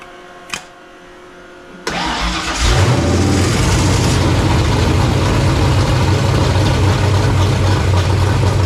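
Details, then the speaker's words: Foxbody convertible with a reassembled carburetor: it catches with a rush, then settles into a lumpy, uneven idle that never smooths out. It starts on the choke, and the owner believes the carburetor's mid-range circuit is plugged, causing a lean stumble. "so I think we've determined it's the carburetor starts with the choke but there's got to be something plugged in the mid-range"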